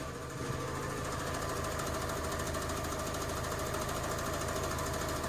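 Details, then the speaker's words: Fiat 500 petrol, about 48,924 miles, idling: quick fairly steady tapping about three a second, changing when the clutch is pushed down; suspected worn clutch thrust bearing. "But driving the car into the workshop, I have noticed or felt an issue with the engine. So let me show you what I mean. Can you hear that tapping?"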